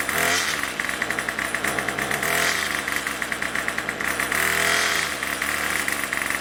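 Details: Craftsman Weedwacker gas trimmer 316.791191, MTD 27cc two-stroke shortblock with Zama C1U-P27 carb, rebuilt with new rings and gaskets; running after the next-day cold start: a high buzzy note picks up cleanly on throttle and returns to a steady idle, healthy.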